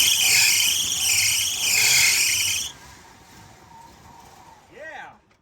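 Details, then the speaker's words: Jeep J20 accessory belt after moving the belt to another pulley for better alignment (water pump pulley suspected off-line): loud high wavering squeal over the running engine, still squeals; slipping accessory belt. ">> it's a little straighter than it was. >> Still squeals."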